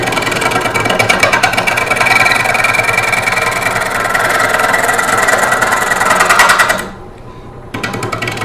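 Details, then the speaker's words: Wood lathe at about 400 rpm roughing a green cherry bowl blank: uneven rapid chattering as the gouge catches only high spots and bounces, briefly dropping out; out-of-round blank, intermittently cutting air. "you'll notice he's bouncing around that's because the doing is called cutting here"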